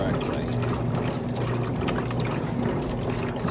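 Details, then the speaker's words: Kenmore electric washer-dryer laundry center, tub filled, washer starting agitation: steady rhythmic water swish, agitator kicking one way, no knocking or grinding; working normally. "Now it's just getting started agitating. You see how that agitator only kicks one way? That's how you know it's actually doing its job"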